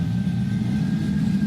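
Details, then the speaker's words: Chevy 5.3L V8 on run stand, before NSRx Stage 3 cam swap: steady, even low rumble without chop, miss or knock; 50 psi oil pressure, quiet valvetrain, smooth healthy idle. "But as you can tell, nice and smooth. Not really any chop or anything back here."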